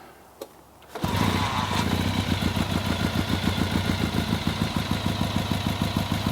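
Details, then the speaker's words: Restored 1964 Triumph TR6R 650cc twin, single carburetor, 16.6 miles since restoration, not run in years; drained old gas, new fuel lines, cleaned float bowl: fires on first kick into an even, steady idle with no misses; sounds healthy. "so now you can hear it run hasn't ran in a number of years and it sounds very good"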